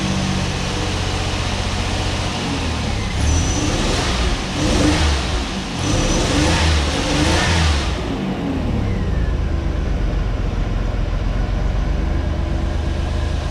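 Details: 1989 Pontiac Firebird 2.8, fuel pump just replaced after years sitting, rusty tank being drained until gas runs clear: engine revs up unevenly in surges, then drops to a ragged, lumpy idle. Rough running, cause not yet clear.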